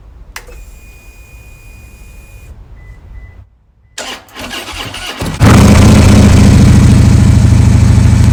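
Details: Harley-Davidson after a dead battery and VIN error with clicking, traced to a bad battery, fuel tuner reconnected: quiet clicks, then a deep, even V-twin rumble settles in; starts and runs normally.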